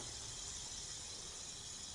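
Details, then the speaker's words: BMW E46 (M54 rebuild) A/C recharge with the engine off, letting the system equalize while listening for leaks: a steady, even high hiss of refrigerant flowing in during normal charging, with no leak heard. "So let's go ahead, add some refrigerant in. And you just want to wait until it equalizes,"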